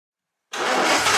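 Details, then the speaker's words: 1959 Aston Martin DB4 barn find unstarted since 1982, runs after new ignition parts fixed no spark; bursts into life and holds strong even run without stumbling; normal running. "wasn't it great great to hear that db4"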